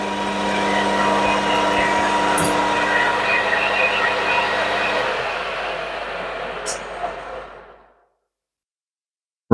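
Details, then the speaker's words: Machine at 1200 rpm with an 8 mm HSS tool cutting a rivet dimple in a bolt: harsh buzzing with a rough rattling edge throughout, fading as the tool backs off; the tool chattered quite a lot. "well that chattered quite a lot the dmle is in doesn't look too bad"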